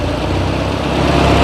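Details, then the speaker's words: Ford 8N tractor, 6V, revived after about 8 years stored, carburettor still needing tuning: smooth, steady low idle, even firing, no skips, drops straight back to idle after revving; healthy. "and it sounds real healthy doesn't look like it's skipping or anything and she falls right back down on the idle"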